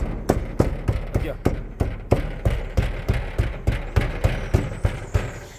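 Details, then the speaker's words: 1997 Toyota Hilux SW4 revved after an engine, gearbox and differential service. Repeated hollow tinny clacks over the engine rumble, caused by a cracked bracket and a loose bolt making the body vibrate and rattle. "E tá solto o parafuso, ó. É, por isso que tá vibrando bastante, ó. Vibrando e tinha um barulho assim de lata assim, ó, clac, clac, clac, clac."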